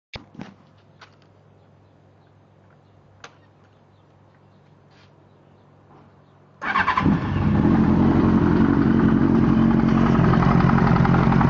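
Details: 1998 Yamaha R1 after an accident: engine starts and runs with regular knock about four beats a second, louder on right side of engine, some exhaust backfire; owner suspects cam chain tensioner, clutch basket or valves.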